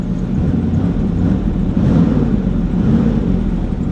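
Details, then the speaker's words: 1995 Z28 Camaro at auction, service engine soon light flashing: rough, uneven low idle with irregular stumbles that doesn't clear with a little throttle; engine misfire. "and it's not clearing up I was hoping it'd clear up with a little throttle no she's not going to clear up"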